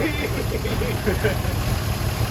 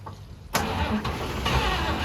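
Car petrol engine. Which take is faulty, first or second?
second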